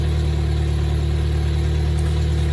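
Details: Toyota 4Runner first-gen 22RE after engine rebuild with new head, warming until thermostat opens: steady, even low idle with no knocks, ticks or misses; engine running properly.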